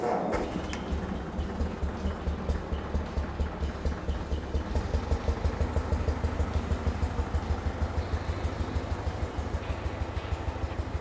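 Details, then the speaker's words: 1989 Cushman Truckster with a new exhaust manifold, started in neutral: a low, even, quiet putter at idle, about two beats a second, with no ticks or knocks; running cleanly and not loud. "nice. Not even loud. You can hear me clear as day."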